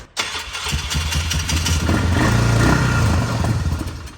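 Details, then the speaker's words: 1964 Plymouth Savoy with a swapped 440 RB big block, hydraulic flat tappet cam, first cold start for break-in: catches after cranking, runs rough and uneven with stumbling pulses; they suspect fuel hasn't reached it yet or it needs breaking in. "Oh, it's just rough. Oh, it just needs to be broke in. Feels hideous. Feels bad. I can hear it. It sounds bad too."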